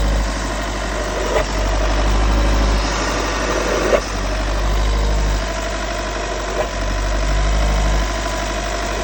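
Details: 2016 VW T6 diesel at idle: uneven, faint rhythmic clatter around three or four beats a second; source of the noise unidentified.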